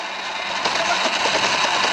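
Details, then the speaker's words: Sur-Ron Light Bee electric bike after a hall sensor replacement, on a test ride: a harsh, rough tearing rasp while braking on regen; the motor sounds internally damaged and blown, and a motor upgrade is planned. "let see if the regen oh God oh the regen literally sounds like it's just tearing the motor"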